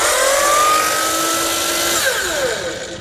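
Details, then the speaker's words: Chop saw the owner took in for repair of this noise, suspecting bearings: high whining motor with a wavering tone that drops as it spins down, rougher than it should be; owner says it doesn't normally sound like that. "Doesn't sound like that normally."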